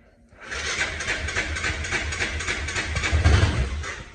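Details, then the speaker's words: Hisun 550 UTV, fuel-injected, before injector replacement, with a weak battery: hard starting with uneven, sputtering thumps, stumbles and a surge as it tries to catch; after 2.5 years it lost power and would barely idle, likely from a clogged fuel injector. "it has trouble starting now it's fuel injected should fire right up but i'll see if i can get it back firing stuff like it's doing"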